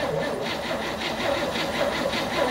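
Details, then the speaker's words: 1964 Chevrolet Impala, sat since 1995, cranked via single wire to starter: steady starter churning about four compression beats a second, never fires; crank no start from no spark. "no spark okay um gotta keep searching then so we ran into an issue that there was no spark"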